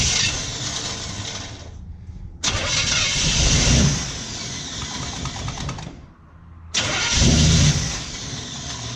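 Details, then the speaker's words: 1955 Chevy pickup, distributor corrected and timing roughly set: starter grinds through two long cranking bursts with brief catches but no sustained running; HEI ignition power wire was wired on the starter circuit, so ignition cuts out when the key leaves start. "the problem is that the power wire to that hei ignition was set up on the circuit for the starter"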